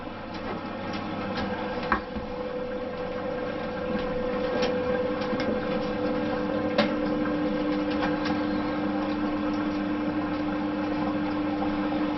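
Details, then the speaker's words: LG washing machine test run after tub and drum reassembly, rinse-spin cycle (18 minutes): steady even rush of water filling over a low pump hum, no knocking or rattling, no leaks; normal water inlet fill. "Ставим полоскание отжим. 18 минут. Включаем пуск. Водичка пошла."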